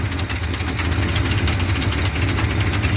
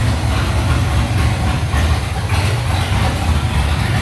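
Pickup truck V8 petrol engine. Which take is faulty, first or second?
first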